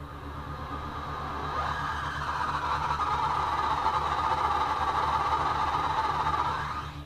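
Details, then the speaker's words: 1968 Toyota Stout EV conversion (Motenergy ME1004 motor, 48V LFP batteries), wheels lifted, first time the repaired controller turns the wheels at only about six amps; loud rough whirring drone that swells and fades, owner suspects the current limit; source unconfirmed. "that's a lot of noise it's making someone said draw much in the way of uh current maybe we'll try turning the current limit up on the motor controller that doesn't sound really good"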